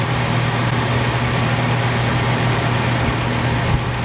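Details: Chevrolet Malibu idling on new, partially charged battery (12.4 V) during charging test showing 14.7 volts, no ripple; smooth even low hum, no stumbles or knocks; engine idles steadily and cleanly.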